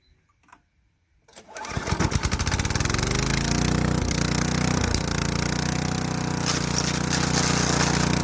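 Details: Craftsman Eager 1 4hp chipper vac (model 987.799790, auction flip) in chipper mode. Pulls up after the start and holds a steady, even drone under light chipping load; bent sticks don't go through. Running healthy.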